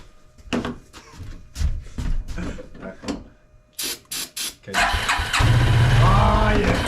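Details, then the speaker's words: Suzuki King Quad ATV (owner thinks a 300, 1995-97), left outdoors for years, with lighter fluid sprayed into a sticky, goopy intake: short cranking bursts, then a steady churn that never starts. It isn't drawing fuel; the engine isn't seized, and the owner suspects a carb clean is needed. "it's not sucking in gas up let's just run along on this engine's not locked up just got to give it a carb clean and might be good to go"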